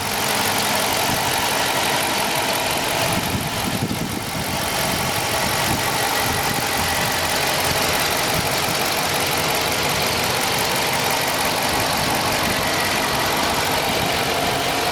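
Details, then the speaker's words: 2017 Dodge Charger Police Pursuit Vehicle, 5.7 HEMI V8, AWD, 107,000 miles, freshly serviced with a new air filter, cleaned throttle body and 16 OEM iridium plugs: smooth, even idle with a steady hiss, no ticking or knocking; healthy engine. "Vehicle is super quiet. No ticking noise. No dings, no dongs, no soda cans, no nothing."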